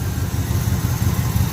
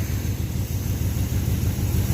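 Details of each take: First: 1980 Chevy K10 V8 with new starter, gas tank out for cleaning: deep, uneven low rumble catching briefly, running only on fuel left in the carburetor bowl. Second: 1980 Chevy K10, battery reconnected, cranking on a newly fitted starter: deep, even low rumble turning the engine over briskly and steadily; starter cranking at healthy speed.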